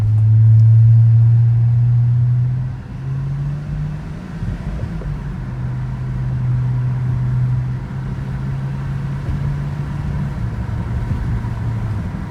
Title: 2006 325i n52 rough idle